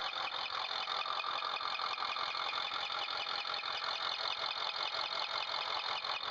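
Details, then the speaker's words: 2008 Ford F450 6.4L Powerstroke diesel at operating temperature, idling: high bird-like chirp about three times a second, loudest behind the turbos under the heat shield and at rear cylinders both sides; unchanged by injector disabling or load; scored camshaft lobe and roller lifter. "Once the engine's at operating temp, we have a bird chirp noise. Difficult to isolate. Heard it most in the back of the engine, up behind the turbos under the heat shield."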